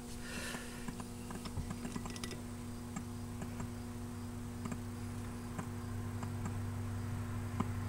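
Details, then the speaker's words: Garage-stored 1966 Zenith 25X4529 TV, chassis 25NC3B, 25AP22 CRT, voltage-doubler supply being brought up toward line voltage: low mains hum with irregular ticks about twice a second as the current meter jumps. A short in the HV/horizontal sweep section is suspected, not confirmed. "I'm hearing a sound that I don't like over here that sound and it's drawing current when it does that see that meter bounce up"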